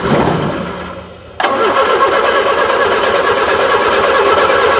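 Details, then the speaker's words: 1976 Triumph Spitfire 1500 that had sat for years, gutted: after cranking and a pause, it fires with a sharp catch and runs a few seconds on gasoline mixed with transmission fluid poured straight into the carburetor bowl; engine briefly firing. "all right we're going to hook our spark up okay see if she pops off she's a runner she's a runner"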